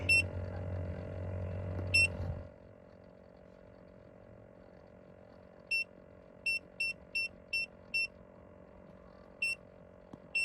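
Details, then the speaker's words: 2005 Chevrolet Suburban with LS engine, a donor that had been sitting: about two seconds of steady cranking without catching, then chime beeps. Crank, no start; the fuel pump or fuel regulator is suspected but not confirmed. "the more i think about it the more i think it's fuel pump fuel regulator something along those lines"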